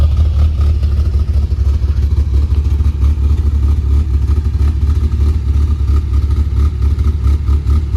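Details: Rebuilt engine in a 1981 Toyota Pickup 4x4, first runs after rebuild, Weber 32/36 carburetor and performance cam: lumpy, loping idle with an uneven low pulse of roughly one and a half beats a second; healthy idle with the hot cam.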